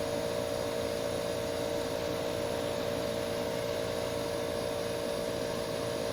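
Steady, even hum with one constant mid tone and no knocks, rattles or surges; the air conditioner is running smoothly.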